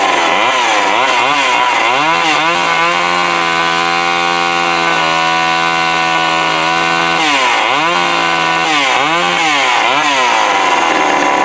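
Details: Old Craftsman chainsaw after partial carburetor rebuild (diaphragm repositioned), bar oil added, run outside: revs cleanly up and down, holds a steady high buzz under throttle, drops back smoothly; healthy.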